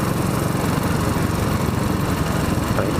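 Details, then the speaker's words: 2007 Royal Enfield Bullet 500 iron barrel under way on farm roads, manually adjusted valves set so the pushrod turns by hand with no up-and-down play: even single-cylinder beat with light sewing-machine tick, happy healthy valves. "And I'm not sure how much you can hear, but these are very happy valves. It's got a very sewing machine-esque sound to it."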